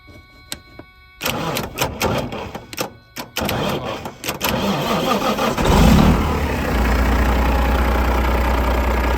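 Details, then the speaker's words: Detroit-powered semi truck (DDEC engine) sitting 11 years, first start: a few starter bursts, diesel catches around six seconds and settles into a steady, even idle without misses or knocks; normal idle, oil and air pressure up. "Holy crap. Wow. That thing fired right up."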